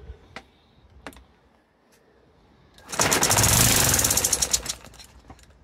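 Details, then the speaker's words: Small Laser four-stroke model engine from a Flair DR1, previously seized with low compression, started after heating and carburettor adjustments having lost factory settings: faint clicks, then catches, runs rough and ragged under two seconds and sputters out; only just firing. "That's encouraging."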